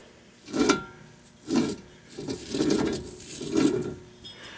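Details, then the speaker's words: Ford Windstar wheel bearing, removed and turned by hand, with gritty rasping scrapes about once a second. The bearing has failed and caused noise at highway speed; the noise was gone after replacement. "you can kind of hear that bearing is failed in there so it needs to be changed"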